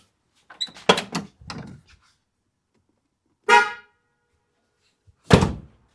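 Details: Ford OBS truck after installing a new two-wire low-tone horn with ground wire to the stud: a short, loud honk with a full, clean two-note blare that starts and stops crisply; horn works properly.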